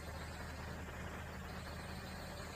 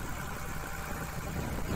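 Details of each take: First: Komatsu PC200-6 excavator diesel after valve adjustment, earlier black smoke and low power: even, steady idle with constant low drone, no misses, knocks or hunting; exhaust now clean, normal idle. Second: Komatsu PC200-6 excavator diesel with black smoke and low power: uneven, harsh idle with irregular lumpy beat; injector number 3 sounds rough and was found leaking, causing a misfire.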